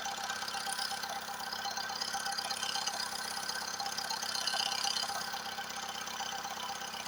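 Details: Recently repaired engine, quiet with no knocks when cold, now hot after revving. Oil pressure high, check-engine light off, vibrations starting. A regular knock of about 160 a minute taps over the idle, audible in the cabin; source unknown.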